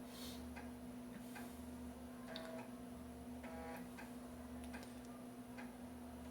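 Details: Real 1990s DOS PC floppy drive copying ARJ-compressed Yamaha sound card driver files from diskette: quiet irregular ticks and short buzzy chirps over a faint steady hum, normal stepping and reading.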